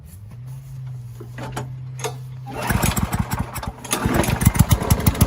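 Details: Curbside-rescued MTD mower cutting grass after an engine-speed increase and oil change, still with no air filter; steady drone dips and chops as it bites into grass, recovering cleanly; owner suspects earlier smoke came from tipping and overfilled oil; normal running under load.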